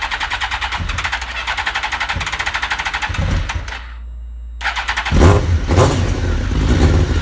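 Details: Suzuki GSXR1000 motorcycle with the tank lifted, started so the idle can be adjusted at the throttle-body screw. It gives a slow, uneven putter with irregular firing pulses, then cuts out and restarts. The idle is set too low.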